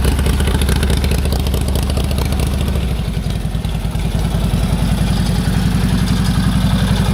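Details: 1946 Indian Chief V-twin motorcycle, original engine, restored and stored since 2012, running again after it freed up and the clutch linkage was adjusted: deep, loping twin-cylinder thump at a steady, lively, even idle. Sounds healthy.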